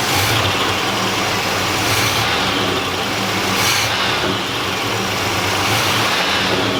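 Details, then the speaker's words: 1986 Oldsmobile Cutlass revived from a junkyard, with a new fuel pump and primed carburetor, just started: a steady engine note holds an even pitch under some hiss, with no knocks or stumbles. It runs smoothly, but gas is leaking from the fuel line. "Jes running pretty smooth running pretty smooth it is leaking gas I can see it so have to tighten up the gas line"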